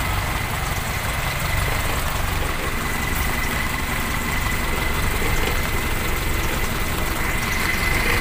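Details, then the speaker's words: Toyota Kijang Super petrol engine after work on rough running (carb cleaned, plugs replaced, ignition checked): steady even idle with constant low rumble, no misfire stumble or shake; sounds different now. "Alhamdulillah suaranya beda"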